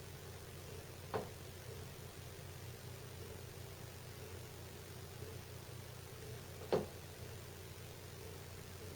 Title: Loud thumping noise from ductwork above kitchen during and after furnace or AC cycle